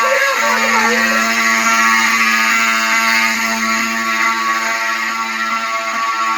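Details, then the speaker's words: Fire station alarm system with 7002T horns, unsilenced after reactivation: several loud horns blaring together in steady, slightly pulsing tone with mixed pitches; horns sounding normally. "So I'm gonna unsilence this and make it so you can hear. So all the alarms have different pitches. There it goes."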